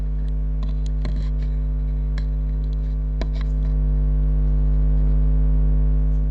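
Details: Toshiba Satellite P850-31L laptop under repair for not charging, after a faulty chip was removed: a steady, low fan hum with no rubbing or rattle, spinning up normally.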